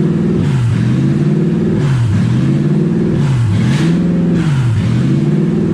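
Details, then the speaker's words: Toyota 1UZ V8 swapped into a Ford Falcon, first start with radiator just filled and coolant low; revs climb and sag about every 1.5 s, never settling; owner guesses no coolant through idle air control valve, causing high idle. "I think it's revving like that because it doesn't have coolant going through the air idle control valve. That's my guess."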